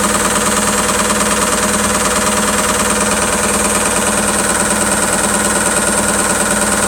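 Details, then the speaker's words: ISE W1607W washing machine on high spin: steady, even thumping about two beats a second, disappearing at a certain spin rate; suspected drum or casing banging against something, not confirmed. "Yeah, it's to do with it allowing it out. It's basically banging against something."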